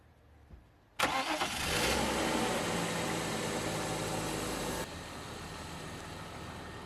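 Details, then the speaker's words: 1998 BMW E39 520i single VANOS after fixing its crank-no-start: a quick start with a brief rev flare, then a steady, even idle without ticking or stumbling. No misfires or overheating, and the lifter tick is gone. "Runs great now. No overheating, no misfires. Even the lifter tick is gone."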